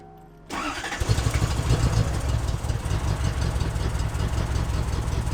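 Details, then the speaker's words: Cheap Lexus SC400 with 1UZ V8, first start after purchase (fuel pump heard priming): catches into a lumpy, uneven idle with a stumbling beat like cylinders missing, plus a bad smell; big misfire at start and idle, cause unknown. "It sounds like a really big misfire. It stinks too."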